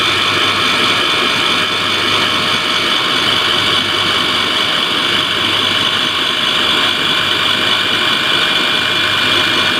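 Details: KES-55 screw compressor air end running: constant high-pitched rushing whine with a steady mid tone; abnormal noise, cause unclear.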